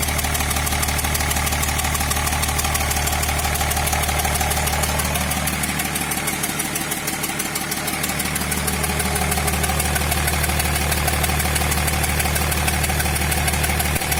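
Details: Diesel idling with a steady, regular knock about three per second; replacing injector no. 6 did not help, cause not found.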